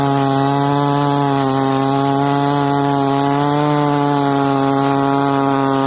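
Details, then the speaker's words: Ported 66cc Dolmar chainsaw (longer stroke) cutting wood with hard knots; high, steady scream through the whole cut without stumbling or hesitating: healthy engine under load. "whoa all the way through didn't stumble hesitate we're pretty much through the knots"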